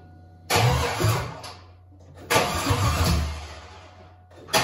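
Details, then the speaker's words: Rebuilt Cadillac Escalade LQ9 6.0 V8 with ported 5.3 862 heads, 10.5:1 compression, LS6 cam, first fire with no cooling, 50 psi oil pressure: short rough uneven revs; one bank's plug wires unplugged, firing on four cylinders. "completely by accident but let me tell you how amazing these ls engines are look at this one whole bank not even plugged in to the plugs look at that you fired on four cylinders"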